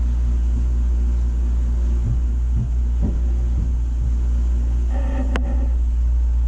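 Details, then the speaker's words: Takagi T-H3-DV-N tankless water heater, first startup, about 135-140°F output: deep steady hum with low rumble building as burner fires hard; cause of vibration unknown, later fades. Low-frequency vibration hum. "man there's a little bit of a low vibration on this thing i don't know if you can hear that"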